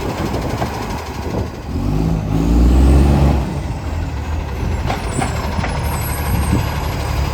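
Deep, harsh roar swells as the diesel pulls under load, then settles into a loud, rough drone; sounds like a leaking exhaust.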